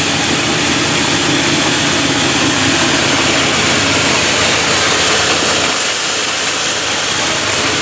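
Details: Fresh supercharged 408W stroker V8 on its first start-up, recorded from inside the car: loud, full-bodied roar with an even beat throughout, no knocks or rattles; healthy.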